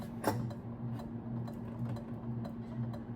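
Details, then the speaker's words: Early-1980s Carroway 52-inch ceiling fan, model EF100, 120 V, at medium speed: soft low hum with an uneven light tick roughly once a second, likely from the canopy rubbing the electrical box. "It wasn't for that clicking sound, this would be pretty quiet. That clicking noise really wouldn't be in a normal use case."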